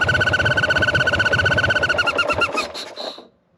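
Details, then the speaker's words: Sportster bobber V-twin on its first test ride after the rebuild, loping at about four beats a second with a hissy whistle, then dying out. The vacuum line looked fine; the leak was at the intake manifold gasket. "Well, that was a weird noise. I'm I'm hoping that's just an air leak somewhere."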